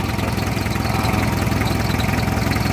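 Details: Hyundai diesel with a hard-starting complaint traced to the starter; battery and glow plugs checked OK, and the starter fault was being repaired. Steady, even diesel clatter with a smooth low throb, no misses or knocks; healthy normal idle.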